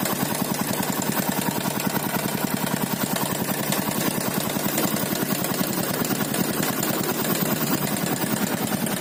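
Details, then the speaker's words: 2012 Yamaha Byson carbureted single-cylinder: fast busy metallic rattle steady over the idle; worn slack cam chain, due for replacement. "ganti rantai kamrat soalnya mesinnya bunyi kayak gini kek coba dengarkan ya rantai kamrat"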